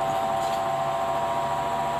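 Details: Electric fan stops spinning and loses power after running a while: steady loud mid-pitched howl with no rhythm over the motor hum, from a dry, sticky motor shaft bushing that needs cleaning and oiling.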